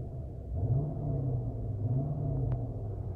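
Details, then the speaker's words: Chrysler 300C idling at about 600 rpm, with the idle bouncing even with the A/C off: a low, lumpy, uneven rumble that a quick throttle jab swells then fades, rough idle of unclear cause. "i have my arm resting against the door panel and the car is real either real lumpy now"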